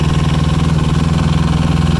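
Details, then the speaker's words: Arctic Cat 700 diesel running: steady even low throb with smooth regular pulse, no knocks or misses; throttle not modified beyond stock, feels as quick as it should, healthy. "so that's good it feels about as quick as it should be not quicker"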